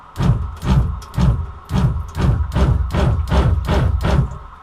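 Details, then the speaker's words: Shurflo water pump in a bus conversion, plumbed straight from tank to sink with no accumulator, run at full tap flow: low thudding pulses about twice a second as the pump kicks on and off, short cycling; Pentair Shurflo bladder accumulator tank to be fitted. "so the goal is to install this tank the idea this has a built-in bladder is that the pressure will build up in here and as this gets used and releases the pressure instead of that pump coming off on off on off on which is you know not good for the pump"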